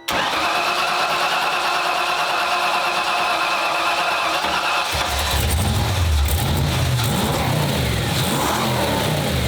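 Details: 1995 Ford Mustang GT, Ford 302 V8, after a new manifold, fuel pump and gas tank and a rebuilt, swapped-in carburetor: it cranks, catches and settles, then revs smoothly through blips with an even beat, now firing on all 8 cylinders.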